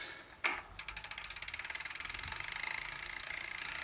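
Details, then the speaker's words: New replacement Sturmey Archer X-RK8(W) 8-speed hub: first gear silent, but from second gear on there is fast, even freewheel-style clicking that speeds with the wheel and grows louder in higher gears. Dealer calls it normal, owner disputes; ratcheting noise in gear. "Okay. So, the higher I switch this, the louder it'll [Applause] get."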